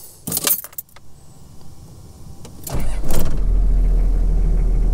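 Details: Old Toyota LandCruiser (80/70/60 series) with an added fused relay feeding the starter from the battery, triggered by the factory starter wire: after key rattle, a brief crank catches straight away and settles into a steady, even idle; starting fixed.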